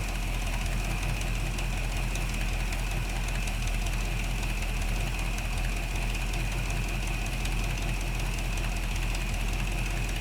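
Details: 1975 Chevy C10 V8 at first start after brake and steering work, oil not yet changed, fuel at 4 psi, timing being set: steady, even low rumbling idle with no stumbles or knocks; a weeping plug, and the idler pulley freed up.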